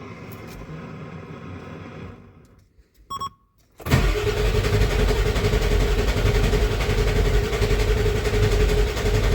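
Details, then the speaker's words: 1994.5 Ford F-350 7.3 Powerstroke after installing 160/00 injectors and a new intake, cold Alaska winter: quiet pause, then steady heavy cranking with a low churn that doesn't catch; air in the cylinder-head oil and fuel, oil rails not pre-filled. "Of course, we still have a lack of oil and fuel to the cylinder head, so it's going to crank over for a little bit."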